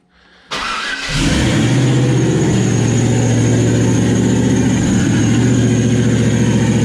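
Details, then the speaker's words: Turbo LS V8 Camaro at its first start after the turbo was mounted (no cold side yet, oil feed and return hooked up, throttle zip-tied temporarily): fires quickly, then runs loud, steady and even with a thin turbo whistle. Normal running; some smoke from spilled oil burning off the headers. "oh yeah it's definitely running now still pretty loud when you're wrapping up"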